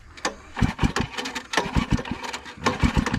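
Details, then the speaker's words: Old scrapyard-found generator (Sears engine, possibly ex-compressor), spark plug pulled and tested while cranking; three quick pull-start cranking bursts without a firing stroke; no spark found, cranks but won't start. "any fire going there a spark no spark no fire"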